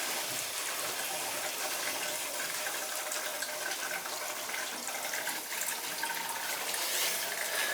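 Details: Boiler heating zone with PEX piping being purged after service: steady rushing, gurgling water hiss with sputtering air pockets as trapped air comes out of the loop; air purging from heating loop.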